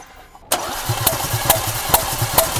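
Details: 2018 Porsche Macan 2.0 petrol, 95,000 km, misfire codes on cylinders 3 and 4 and fuel smell at exhaust, injectors already replaced; starter cranks with even, sharp compression beats about twice a second, none weak or missing; normal cranking.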